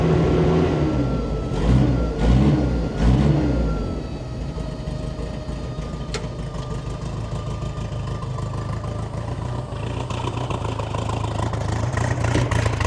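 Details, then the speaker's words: Bombardier Bombi with Holley Sniper 1100 fuel injection, after exhaust manifold crack fix, open loop: blipped up, then drops back to uneven loping idle that rises and sags. Rough running, cause unconfirmed; owner considering replacing ignition coil; engine later cuts out. "So it's still kind of loping a little bit. see how that evens out here."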